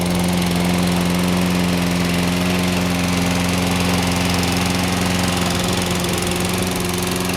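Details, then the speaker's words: 2009 Toro 22-inch Recycler Personal Pace mower, model 20332, 6.75 HP Briggs & Stratton ready-start engine, fresh oil and cleaned air filter, started without priming after a week: steady even single-cylinder drone, no misses or knocks, normal running. "we'll give it a start here hadn't started this in uh a week see how it does here here we go don't have to prime it"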